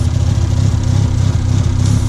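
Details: Mazda RX-7 FD rotary at light/half throttle: loud, low, lumpy burble with uneven pulse; rough running from an unplugged open vacuum hose, much better once plugged back in.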